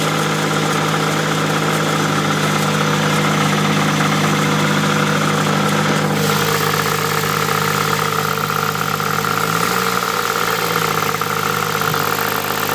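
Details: Nissan Pulsar GTi-R engine idling with a steady droning tone and fast even pulsing, note changing on a brief blip; abnormal noise of unknown source.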